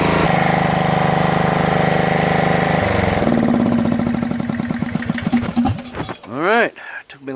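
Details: Craftsman DRM500 Yard Bug 10HP riding mower after replacing starter motor, solenoid and battery cables: single-cylinder engine catches and runs steadily with an even beat, no misses or knocks; healthy running.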